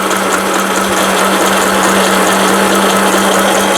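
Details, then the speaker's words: Elna Hello Kitty mini sewing machine (made in Thailand) after needle bar support unit replacement and needle bar re-centring; sewing in reverse, loud steady fast rattle with even whirring note; normal operation, noisy because machine is so small. "기계가 작다 보니까 소음도 굉장히 크고요. 후진."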